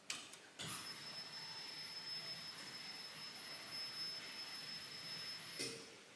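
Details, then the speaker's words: Restored Mustang being started after a 7-year build: steady high hiss with thin constant whine as fuel pump runs and pressure builds, regulator diaphragm audible while checking for leaks; normal fuel system priming. "oh you can hear the diaphragm in the regulator you can hear it there it's getting"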